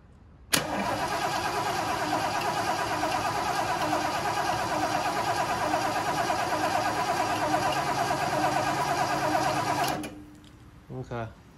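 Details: 1976 Lincoln Continental, 460 big block, 41,000 original miles: starter churns steadily at about three beats a second for nine seconds, engine never catches. Cranks but won't start; probably no spark.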